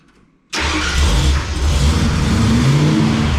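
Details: Freshly rebuilt 302 Windsor V8 swapped into a 1971 Ford Ranchero with rebuilt C4 automatic: fires up at once and settles into a deep, lumpy, steady idle with no knocks or misses; healthy cammed V8.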